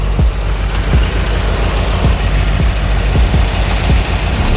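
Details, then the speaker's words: Murray riding mower with 18hp V-twin, after carb cleaning fixed rough idle and surging: steady low thumping idle, even firing pulses, no surging or hunting; normal idle. "Runs good now. Clean the carb out. It was kind of surging for a little bit."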